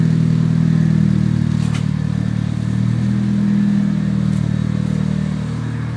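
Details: 1995 Mitsubishi Eclipse GSX, 137k miles, new 16G Evo III turbo, full 3" exhaust: engine running with uneven knock/tick over low hum, three or four hits a second; previous owner suspects spun rod bearing, bent valve also suspected; top or bottom end unconfirmed.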